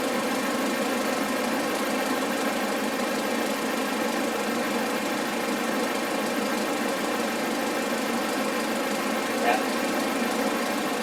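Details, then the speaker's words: Audi A4 2.0T idling with a smooth steady hum and no chirp or squeak, after replacing the failing crank pulley/harmonic balancer that chirped on cold starts for about 20 minutes until warm, following a new serpentine belt. "so that looks great no more chirpin which which is awesome"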